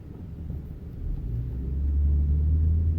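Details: Ford F150 4x4 (2004+ integrated wheel ends) front end: deep, rough growl builds as the truck accelerates from a stop; vacuum drops while stopped, so the IWE hubs partially engage, lock and unlock, grinding; bad vacuum check valve, fixed by replacing it.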